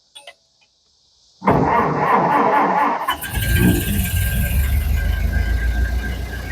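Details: 1931 Ford Model A roadster, fully restored from a dismantled project: quick crank, the engine fires right up and settles into an even, steady idle with no knocks or rattles. Normal start and idle.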